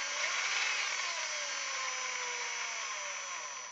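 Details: Tekin 30-turn brushed motor in an Axial Wraith crawler makes a harsh, high-pitched electric buzz with gliding whine tones only when powered; absent when rolled on the floor.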